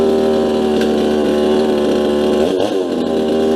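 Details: Farmertec Huztl MS250 clone chainsaw on first startup after final assembly of a fresh build: it holds a steady, crisp high-revving buzz with even firing and no misses or surging, so it runs normally.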